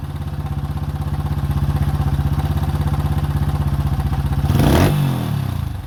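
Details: 2005 Honda CRF150F (California street-legal) single, after a valve adjustment and carb tune-up for a no-start; it had previously run very high without idling. Carb being adjusted; even fast-idle thump, then a quick throttle blip that picks up cleanly. Runs smoothly.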